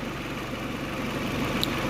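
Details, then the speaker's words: Peugeot 307 CC after spark plug replacement cured a compression-type engine noise: smooth, even idle with only normal injector ticking and no stumble; the earlier noise is gone. "on a juste bruit absolument normal le cliquetis des injecteurs et on n'a plus le bruit yeux qui piquent"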